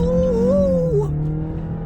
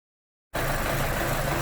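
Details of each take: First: 2011 Chevrolet Cruze 1.8L road test after repairing coolant in the wiring harness from a melted thermostat heater: smooth engine note climbing evenly through the gears with clean shifts and no misses; fuel trims good, no trouble codes. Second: 2011 Chevy Cruze 1.8L with multiple codes (P0171 lean, O2 sensor circuit low, knock sensor), coolant found in wiring harness from melted thermostat heater: engine catches and lopes unevenly at idle; rough idle from lean condition.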